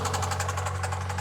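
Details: 2000 Honda Civic, 233,350 miles, sat about two years: steady heavy knock about six or seven times a second over the idle; bottom end knock, needs a new bottom end.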